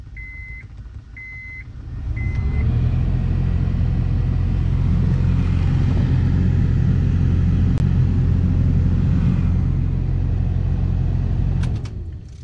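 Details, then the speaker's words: 2005 Honda Pilot: after chimes, a deep steady rumble swells, holds, then cuts off; loud lawnmower-like blower fan, suspected worn blower motor, to be replaced. "don't know if you can hear that on camera but it kind of sounds like a lawn mower so we're gonna have to get down get all the stuff taken down to get to the blower motor"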